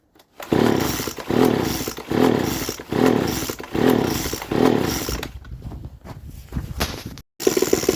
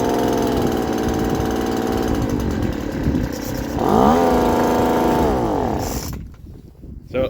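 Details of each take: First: Poulan leaf blower (two-stroke) with modified, drilled muffler, full-throttle test from about five to six feet before muffler replacement: repeated harsh raspy roaring blasts far louder than stock; holed muffler letting exhaust out unsilenced. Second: Poulan Pro two-stroke leaf blower after muffler replacement and new fuel filter: even buzz rising cleanly with throttle, then shut off, no rattle or exhaust blowing, noticeably quieter; normal running.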